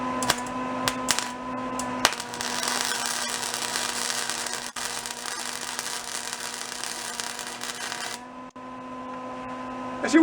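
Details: Old salvaged Lincoln flux-core welder, revived with lubrication, turned up to voltage setting C: a steady, even crackling sizzle holds for about five seconds over a faint hum, giving a good, stable weld arc.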